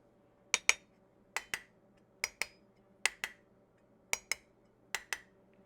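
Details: Tap test on sealed regular-mouth and wide-mouth storage jars of dehydrated, freeze-dried or canned food: pairs of crisp, high ringing taps, a good seal.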